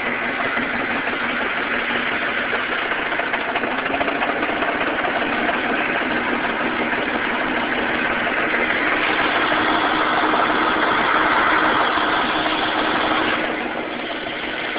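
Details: 1998 Ford Mustang V6, before engine rebuild: idle with uneven, stumbling beat and hollow skipping pulse in exhaust; misfire at idle.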